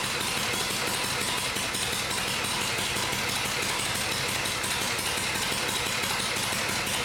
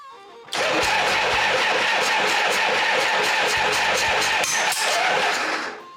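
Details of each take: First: First start of a rebuilt vintage Harley Shovelhead V-twin after engine and transmission work, with a new Dyna coil fitted and the oil pump primed. A loud, even, lumpy beat with no popping or backfiring, unlike the earlier attempt; it is running right. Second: Harley-Davidson Shovelhead, first start after a full engine and transmission rebuild with a new coil and brand-new Dyna ignition, primed oil pump: loud, ragged popping and banging with no steady beat, a misfire from crossed spark plug wires.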